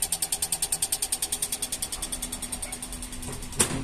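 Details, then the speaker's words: LG microwave that blinks when the door is opened: opening the door makes the display and lamp flicker on and off, with rapid, even relay clicking about ten per second, fading out; suspected control-board fault, relay chattering. "Bueno vamos a abrir la puerta como logran ver prende y el display Prende y apaga el foco prende apaga y como se escucha"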